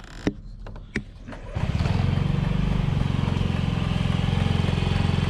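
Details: 2009 Honda Metropolitan scooter: a few sharp clicks, then the engine catches and idles with a quick, slightly uneven pulse; the failing fuel pump clicks loudly even while running and was replaced with the fuel filter.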